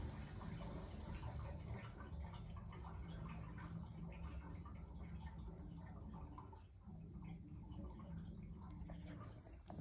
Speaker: there's a lot of gurgling going on which is all the pipes going up through the house um draining out